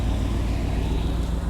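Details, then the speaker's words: 1990 Chevrolet Silverado 1500, 350 V8, 54k miles, heard at the tailpipe: low steady even idle rumble with no puffing, popping or misses; exhaust quiet, no smoke, no hesitation; normal exhaust at idle. "Exhaust is quiet, no smoke, no hesitation."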